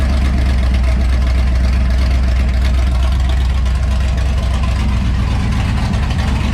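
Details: LS-swapped 1994 Chevrolet Impala SS after broken headers were welded back, exhaust pipe not yet refitted: loud, deep, steady V8 idle through open headers, fast even lope, no knocks or misses; normal idle.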